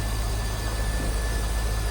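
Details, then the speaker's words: 2001 Chevrolet Corvette C5 convertible, 5.7L LS1 V8, 49,326 miles, engine bay open: steady, even low rumble at idle with no knocks, ticks or misses, nothing odd from top end or exhaust; normal healthy idle. "Sounds as you would expect. Nothing crazy over the top or exhaust."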